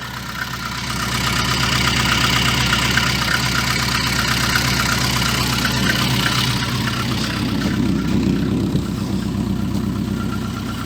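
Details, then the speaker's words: VAZ 2114 engine after repair, with a leaking muffler adding a low-frequency note: steady, even idle and revving with no clatter, where there was previously a clatter on lifting off the throttle; the engine now runs healthily. "да действительно звуков никаких нет которые были потому что при сбрасывании газа начинался вот этот вот лязг"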